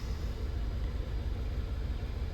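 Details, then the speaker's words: VW Tiguan after head port cleaning, new injectors and water pump, EPC light, low uneven idle with steady stumble on three cylinders; codes show random misfire, cylinder 1 continually misfiring, traced to failed cylinder 1 ignition coil. "are measuring the faults here, and cylinder number 1 is continually misfiring. A little bit on number 3."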